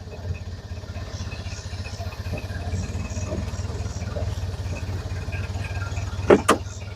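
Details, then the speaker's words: 1931 Ford Model A roadster, fully restored, driving: low, even, steady four-cylinder rumble with no knocks or misses while cruising. Normal running engine. "boy it sounds awful good though don't it listen to that"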